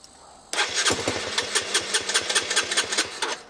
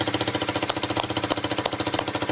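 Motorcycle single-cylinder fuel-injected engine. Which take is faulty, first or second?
first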